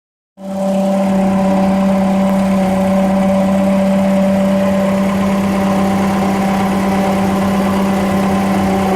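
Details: Water pump noise: a constant hum-whine holds steady over the idle throughout, consistent with a noisy water pump bearing.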